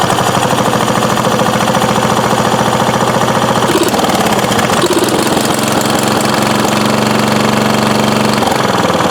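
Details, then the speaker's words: 1993 Craftsman LT4000 riding mower, first start in four years, started on choke: loud, rapid chugging runs evenly, then stumbles and begins to die. Owner suspects it ran out of gas (the tank had leaked) or a poor air filter choked it. "Probably ran out of gas. Should check to make sure that thing isn't leaking again."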